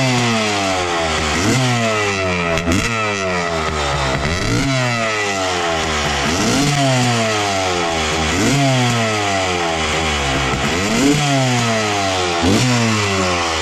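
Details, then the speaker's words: 1995 Honda CR250 two-stroke with a horrible bog, after swapping in a 1998 CR250 carb (same 55 pilot, 175 main jets): repeated throttle blips each revving then falling flat and hesitant; bog unchanged, so carburetor ruled out. "all right unfortunately other carb made no difference still doing the same thing so we can completely rule out the carburetor"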